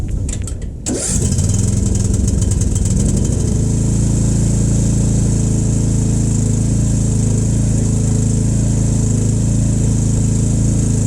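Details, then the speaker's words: Ariens riding mower with Briggs 17.5 HP engine, sun-damaged, after carburetor cleaning and oil top-up, cold start next morning after sitting overnight; cranks briefly, catches within a second and runs evenly with no hunting or misfire; starts and runs fine. "up she's good to go"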